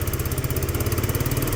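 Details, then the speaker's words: Peugeot Tweet scooter with new ignition, single-cylinder engine idling slow and lumpy with steady low thud; idle set too low, needs raising; rust converter burning off exhaust. "idle's a bit low I'm going to have to lift the idle"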